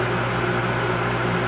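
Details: Furnace in an off-grid solar setup, running after it had been failing to ignite properly; steady even roar with a constant low hum and no flutter or banging, burner lit and running normally.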